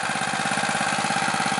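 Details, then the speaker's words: New, stock Harbor Freight Predator 212cc OHV single-cylinder, warmed up, choke fully off, at the factory-set idle: a quick, even putter with no misses or knocks. Normal idle. "that's the factory set idle and with the engine warmed up and the choke completely off"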